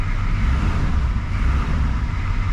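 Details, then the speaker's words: Chevy C20 6.2L diesel with DB2 injection pump after fuel cut-off solenoid replacement, running to purge air and revved: deep, even rumble rising and falling smoothly with throttle, no knocks or misses, belt noted slightly loose; sounds healthy. "I'm going to let her run for a second just make sure all the air is out of the system give it a few revs"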